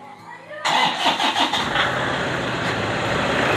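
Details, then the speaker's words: Diesel car on a weak 70 Ah 80D26L battery, cranking voltage about 8 V, 271 ms crank, SOH about 52-58%: a few slow, labored starter beats before the engine catches; slow crank from a weak battery. "di startnya itu sekitar 8 volt ya ya 8 volt ingnya 271 MS crank slow ya memang akinya sudah agak luak"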